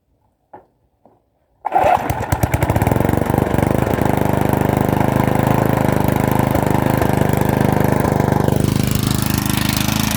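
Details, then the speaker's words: Lawn mower small engine after oil change and refuelling: fires after a couple of pulls, settles into steady even putter with no misses; running a lot better, normal running. "So basically I gave it a ran, then I just shut it off, and then it's running good now. So it's running a lot better actually with that"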